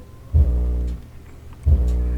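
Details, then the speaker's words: 19-year-old Sunfire MK4 subwoofer before repair: touching the input RCA cable sends the amp into runaway oscillation, deep low drone bursts about half a second long switching on and off repeatedly, cause unknown. "but when I touch the input RCA cable here it goes into this we're convulsion mode and it wouldn't stop"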